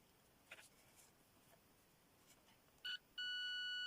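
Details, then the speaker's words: Homemade late-1980s pitch-indicating continuity tester across a transistor junction judged germanium: clear steady fairly high beep, compared against another junction's lower pitch; pitch reflects forward voltage drop. "notice that Junction sounds low pitched but this Junction remember that pitch"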